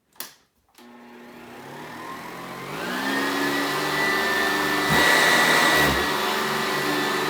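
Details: Sanitaire traditional-design vacuum, 180 CFM at the cleaner head, with high airflow density, in a pickup demo: motor spins up over a couple of seconds to a strong, steady whine with rushing air, even and rattle-free; picks up most of it; normal running.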